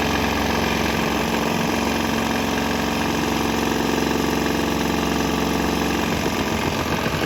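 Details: Swan X 165F Chinese single-cylinder diesel vibrating, throttle on start, switching to used canola fryer oil: steady even beat with loud mount rattle, slight tempo and exhaust note change, no misses or knocks; running smoothly.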